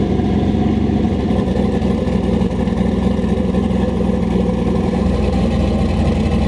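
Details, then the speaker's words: Turbo LS-swapped Volvo running without exhaust, after a belt fix: loud, choppy open-header rumble with an even beat and no squeal or knock. Engine sounds healthy, belt better; normal running. "I think it was chopping yeah I forgot how good it sounds it's like almost like dirty chills"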